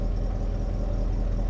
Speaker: I did remove the oxygen sensor that's why there's a grumble okay she needs a new cat